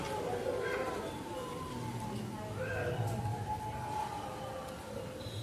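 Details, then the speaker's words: EV scooter hub motor after throttle replacement with a 3-speed-mode, parking-button throttle; run in modes one to three. Quiet electric whine rising and steadying as throttle opens, no cutting out or stutter; normal hub motor run. "Throttle on చేసి చూద్దాం. నేను throttle అయితే తిప్పుతున్నాను."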